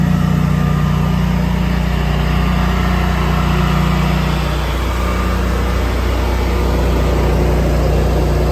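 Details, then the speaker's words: 24kW Generac standby generator started during a power outage in hot weather: loud, steady low hum with an even beat of about 200 per minute, no knocks or misses; running properly. "apparently the power just went out let's see if the generator was worth all that aggravation I think so cuz I hear it"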